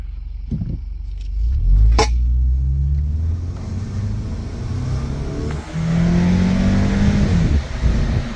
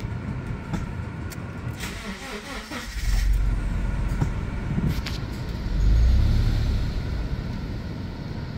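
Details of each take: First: Subaru after the repair that fixed its low-idle stalling and upper-rpm misfire, on a road test: it pulls strongly with clean rev drops at each shift and no stumble or hesitation; healthy acceleration with steady rpm. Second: Subaru with super low idle (oil pressure light comes on) stumbling and sagging twice when throttle tapped, nearly stalling, repeatable at idle and in reverse; also misfire at upper rpm, cause not yet found.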